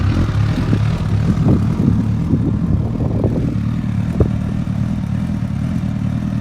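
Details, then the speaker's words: 2008-2009 Honda CBR1000RR inline-four idling: loud busy mechanical clatter and valve tapping with no crank whine that goes away with clutch pulled; cam chain and valves good, normal racket. "That's normal engine racket. These are very loud. The cam chain's good, the valves are good on this bike."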